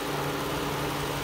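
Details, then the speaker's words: 2006 Toyota Sienna XLE idling with the hood open, phone near the engine. Smooth, even idle with faint quick ticking from the fuel injectors and valves: normal, not a concern. "Again, my phone picks up the valve quite nice, so you might hear the fuel injectors and valves ticking. Not to be alarmed by that."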